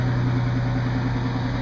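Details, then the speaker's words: 1993 Ford F150 with the 4.9L I6, 4x4, which cranked without starting (DTC 542, fuel pump secondary circuit) until a bad fuel tank switch was replaced: smooth, steady low idle with an even beat and no ticking or stumbling. "so I went and I got a new switch for like 13 bucks and and now my truck starts right up there it is"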